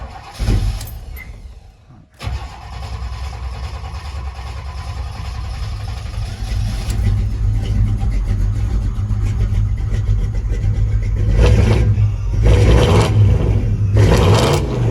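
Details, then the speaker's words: 1986 Chevrolet Blazer, fuel-injected 383 V8, automatic, 4x4: cranks briefly, catches and settles into a deep, loud, steady rumble with loud exhaust and slight cam lope; normal start and idle. "Like I said, the exhaust is pretty loud, so it's by whatever you like, but solid running. You can hear it's got a little bit of cam to it, but we'll go through."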